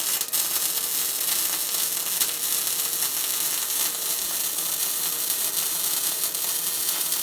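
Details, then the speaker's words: Tesla MIG 260 semi-automatic MIG welder welding with steady, even frying crackle like tearing cloth, no pops or sputtering; correctly set welder, normal MIG welding crackle. "так ось такий звук такий тріск як ее ніби тріск матерії це значить що в нас правильно налаштований зварювальний апарат"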